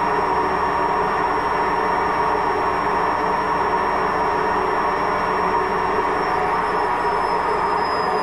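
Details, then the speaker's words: Washing machine with a failed drum bearing during fast spin, loud steady grinding roar with a rushing metallic edge. "Also eine Waschmaschine mit Lagerschaden. So hört die sich an, eine Waschmaschine mit Lagerschaden."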